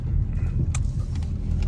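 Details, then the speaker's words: 2009 Nissan Rogue driving after left front wheel bearing replacement: steady low road rumble with no hum or growl, the wheel bearing noise is gone; traction control light sometimes comes on since an alignment. "so the wheel bearing noise is gone, but if you, well, it didn't do it there,"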